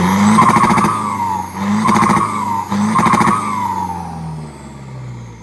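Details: Isuzu FRR210 truck, 4HK1 diesel, after turbo replacement and customer-supplied louder exhaust; scan shows problems at injectors 1 and 4: three clean rev blips rising and falling smoothly, then steady settle to idle; pulls evenly, healthy.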